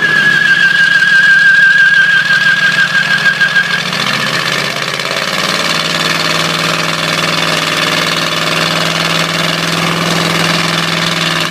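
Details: Ford 351W V8 with a spun rod bearing: rough running with a hard, rhythmic rod knock about three per second riding on the idle, while coolant sprays from a hose.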